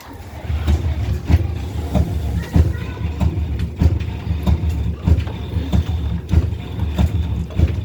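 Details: Indesit IDV75 tumble dryer and Hotpoint WF860: deep rough rumble with a dull thump about every 1.25 seconds as the drum is turned; broken drum bearings.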